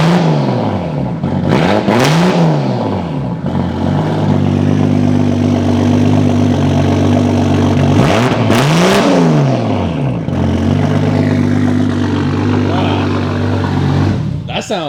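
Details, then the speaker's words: 2JZ-swapped car at check-in: lumpy cold idle with sharp rev blips, blowing black smoke; running rich because the fuel regulator was not hooked up, exhaust full of fuel needing clearing. Running rich. "crazy yeah I know it was blowing some black y yeah that was cuz the the fuel regulator wasn't hooked up before ah probably all full of gas all in the exhaust got to just clear it out"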